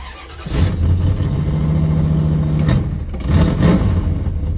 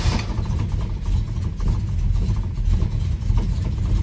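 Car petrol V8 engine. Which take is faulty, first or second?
first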